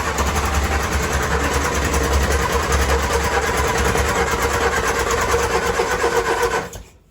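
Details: 1966 Triumph Spitfire Mk II, won't idle, with timing, carburetor, throttle linkage and battery problems: on choke, fast, buzzy, uneven running that never smooths out, then cuts off; rough running, possibly flooded (wet), cause unconfirmed.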